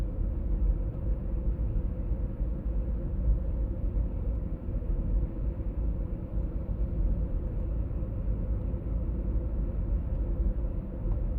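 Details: 1996 BMW E39 523i automatic (pre-facelift): steady low droning hum (Wummergeräusch) under road rumble while driving, heard at 50–60 km/h and also 70–80 km/h; cause not yet found.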